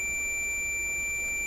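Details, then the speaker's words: Crosley 43FB farm radio, checking after feared overvoltage burnout of the four tube filaments: a multimeter continuity tone through the filament string holds clean and steady, so the filaments are intact. The other side revealed an open, defective power switch. "So that's actually sending the test current from the meter through all the filaments to the other side of the switch."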